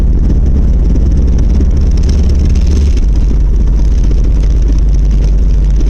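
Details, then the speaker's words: 1990 Volvo 740 driving: heavy low rumbling rattle and vibration, progressively worse over six months, from the driveshaft center support bearing; torque converter suspected first after a fuel, spark and sensor tune-up. "But if this helps you diagnose anything at all, what I found out is that it is the center drive shaft support"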